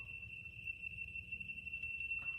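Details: Laser level rod receiver taking an intermediate foresight: a steady high-pitched tone holds without a break over a low background rumble, signalling the sensor sits below the beam.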